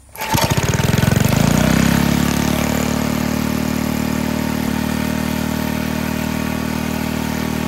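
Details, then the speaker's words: Barn-fresh 1951 Briggs & Stratton 6B-SF, 1.75 hp, started with no choke or prime once fuel had drawn up from the tank: catches at once, briefly revs, then settles into a smooth, steady idle; normal running. "it must have just taken some time for it to get gas out of the tank up into the cylinder and did help when i choked it gave it more vacuum right so that that was key to getting it going once it got going didn't have to choke it at all ran great"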